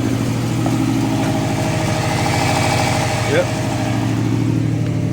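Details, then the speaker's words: Prodrive Subaru Impreza STi on a mild rebuild, restarted after removing an aftermarket Sigma alarm that blocked starting, not run for a while: even, steady idle with a regular pulse and light revs, no knocks or misses; healthy, running a bit rich, needs mapping. "sounds good give it a little rev sounds good sounds very very good oh he not been running a while so nice need to get mapped it's a bit Rich"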